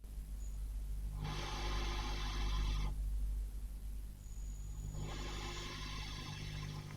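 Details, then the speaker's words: 5E3 tweed valve amp copy, bright channel, hum-level check: steady low mains hum with loud hiss surging twice as volume is turned up; definite hum alongside hiss, source unknown. "Okay. Definitely some hum there alongside the hiss."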